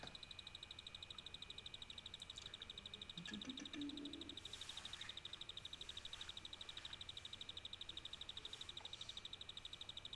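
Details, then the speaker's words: PC power supply found second-hand, running a test FM2 motherboard build, microphone moved close; thin steady high-pitched whine over faint fan hiss, owner thinks the power supply will soon fail. "est-ce que vous entendez le petit bruit que fait l'alimentation elle va bientôt glamer l'alimentation va bientôt"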